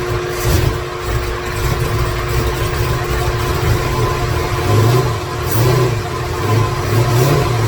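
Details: 2017 Corvette Z06 with Texas Speed 416ci stroker, Holley port injection, first fire-up with no tune, no coolant in engine: big V8 runs lumpy and uneven, stumbling and catching, fan kicking in; rough running from missing tune.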